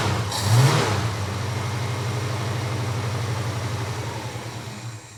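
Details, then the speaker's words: Boat V8 with carburettor, first start of the day then warm enough to idle; steady lumpy idle with a faint irregular crackle now coming out the top of the carby, noise having moved from low on the engine; cause unknown. "Now, I want you to pay attention to the carby. I don't know if you can hear that crackle, but that noise is now coming out the carby, out the top of the carby"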